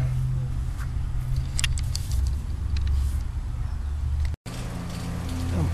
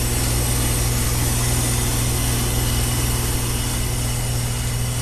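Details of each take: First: High-efficiency XP5 heat pump after reversing valve replacement, 4° subcooling, panel vibration fixed with armaflex tape: steady, even low hum from the compressor, no hissing, knocking or grinding; running normally. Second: Fairly new high-efficiency XP5 heat pump: steady compressor and fan hum with a faint continuous hiss from a reversing valve leaking internally, about 12° suction temperature rise to the compressor; valve to be replaced.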